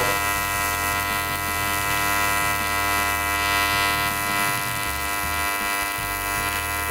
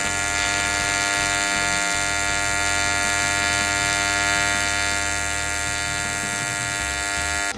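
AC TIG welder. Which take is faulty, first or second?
second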